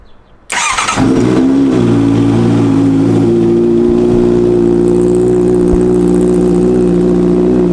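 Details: Honda CBR650F motorcycle first start after winter storage with fuel stabilizer and a new battery, in neutral; short crank, catches at once and settles into smooth, steady idle with no stumbling, healthy start.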